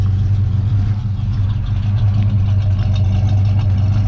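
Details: 1971 Ford Mustang 351 Cleveland with Edelbrock carb being tuned: deep, steady burble with even lope, no knocks or misses; normal idle.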